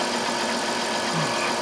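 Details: 2002 Chrysler Town and Country, 3.3L V6, after replacing the cylinder 5 coil for a P0305 misfire: even, steady idle with no stumble or missing beat; normal idle on all cylinders.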